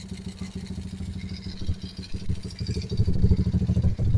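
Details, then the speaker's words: Euro Racing 110 motorcycle with capacitor fitted, headlight and lights on: even, steady low thumping idle that holds without stumbling or dying under electrical load; normal idle, engine doesn't stall as wiring is correct. "Na may ilaw at may headlight tayo diyan, may busina pa tayo. Hindi siya namamatay."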